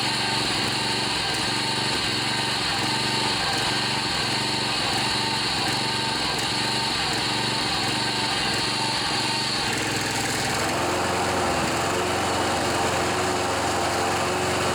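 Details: John Deere 14PB mower with a Kawasaki 5.0 hp OHV engine that sat outside, after carburetor cleaning and rebuild: runs fast and steady with an even buzz, then settles smoothly. It sounds healthy.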